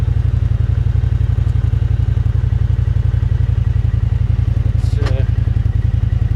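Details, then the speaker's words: 2013 John Deere Gator RSX850i, about 300 hours, after replacing a seized clutch sleeve with an updated John Deere clutch and EPI clutch kit; steady low thrumming, engaging at about 2,000 rpm with no jerk where it used to be jerky: normal CVT engagement. "normally this thing was fairly jerky and i don't remember the exact rpms that it uh started moving at but uh we'll see what this does no jerk whatsoever and just about 2 000 rbms maybe a little more"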